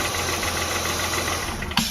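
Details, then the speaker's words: 2003-2008 Honda Pilot at idle with the alternator connector unplugged: smooth, even idle with no whining at all, confirming the alternator caused the rpm-rising whine; alternator then replaced. "Purring like a kitten. No whining sound at all."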